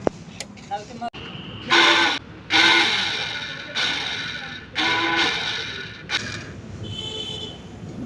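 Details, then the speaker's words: Hero Splendor Pro motorcycle, one-way starter clutch showing light wear lines: several short harsh whirring bursts from the self-start motor without clean engagement; starter slipping, one-way clutch to be replaced. "देखिए तो ये आवाज़ इसकी cell motor में से आ रहा है और सेल भी इसका स्लिप मार रहा था।"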